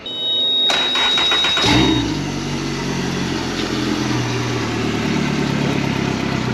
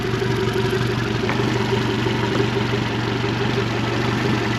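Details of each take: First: 2017 Suzuki DF115 four-stroke outboard, overdue for service, stalling and missing, on flush water, just after spark plug replacement: cranks and settles into fairly steady idle, better than before but still slightly uneven. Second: 2017 Suzuki DF115 four-stroke outboard, overdue for service, previously missing, on flush water right after new spark plugs: steady even low idle, no misses or knocks, sounds better and healthy.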